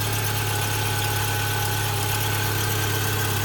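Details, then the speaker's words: 2009 Subaru Forester all-wheel drive, fuel injected: smooth, steady idle with a constant low drone and no knocks, misses or weird noises, only slight belt squeak considered normal; some exhaust leaks underneath suspected. "smooth, no weird noises, a little bit of squeaking from the belt, but that's pretty normal."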